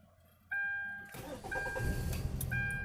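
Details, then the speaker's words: 2012 Hyundai Tucson, P0301 cylinder 1 misfire; began shaking hard after a fill-up, jerky pulling off. Brief crank catches after half a second, struggles, then unsteady lumpy idle under repeating chimes, check engine light on. "int that when she fill up for gas the car started shaking hard to pull off jerking and stuff like that so we're going to diagnostic to see what's going on"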